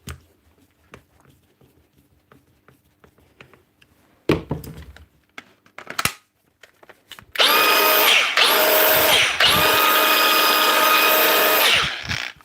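After a few clicks the grinder spins up to a steady, clean high whine with no rumble or rattle: smooth healthy running.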